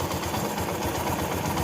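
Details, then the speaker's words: Motorcycle engine idling after engine work, before the roughly 500 km settling-in; recorded on a mobile phone. Even quick idle thump with light mechanical chatter, no knocking or ticking; normal idle. "तो देखिए भाई लोग sound में difference तो आप लोगों को पता चल ही गया होगा और नया इंजन का कम होने के बाद साउंड थोड़ा सा इधर-उधर रहता है"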